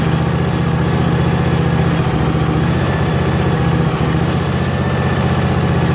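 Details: Craftsman GT6000 garden tractor with a newly fitted Briggs & Stratton Vanguard 16HP horizontal-shaft engine, first run: a deep, even thrum at steady speed with no knocks, skips or hunting. Runs healthy.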